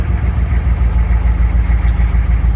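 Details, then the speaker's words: 1995 GMC 3500 HD 6.5L turbo diesel just restarted after a no-start, following replacement of a faulty remanufactured injection pump, now warming up: low, even diesel clatter settling into a steady idle with no knock, miss or hunting; it sounds healthy. "I can let it warm up now that it's running again"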